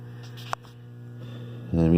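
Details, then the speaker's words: 1994 RV power converter (old unit being replaced by a Progressive Dynamics Intelli-Power 4645): steady low mains buzz with nothing mechanical over it, the old converter's transformer humming; dusty, fan may not work; cause suspected, not confirmed. "so you probably can hear the hum but it's generally not"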